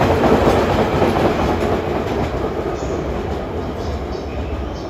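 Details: JNR DE10 1654 diesel locomotive running light through Akabane station track 5: a rolling rumble with a rhythmic thump about twice a second from a flat spot on a wheel.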